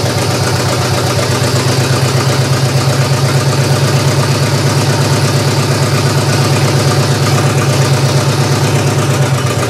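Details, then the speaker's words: GM 3100 V6 swapped into a Camry, after firing-order check: low steady idle with a faint uneven pulse about three beats a second; still rough, owner suspects gas almost two years old. "well I've got it running better it still doesn't sound that right to me I know there's a couple issues still with this one being that gas is almost two years old so I think that's one of the big things that's wrong with this right now"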